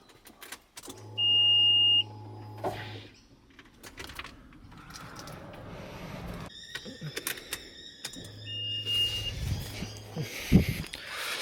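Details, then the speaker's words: 2008 Subaru WRX STI with a newly installed upgraded fuel system: the reassembled fuel pump primes with key on, a low steady hum about two seconds then stops, repeated. Normal prime before checking for leaks and starting. "So when we turn the car onto reds, we should hear it prime. Turn it back on, you can hear it priming."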